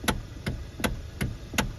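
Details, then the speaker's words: Hyundai/Kia steering wheel turned with car on, giving sharp regular clunks about five in two seconds; worn bushing in the steering coupler, quieter with car off, fixed by replacing the cheap coupler. "hey guys welcome back to fixing it are you getting this noise this clunking noise from your steering wheel"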